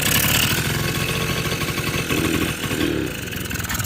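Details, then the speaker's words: 1980 Honda Express II two-stroke scooter after carburetor cleaning and fuel filter fitted: fast raspy buzzing that never settles, revs hanging high; runaway idle, owner suspects air leak or idle circuit problem, none found yet. "still need to dial we've got kind of a runaway idle situation i don't know if there's an air leak or something but i'm digging into that"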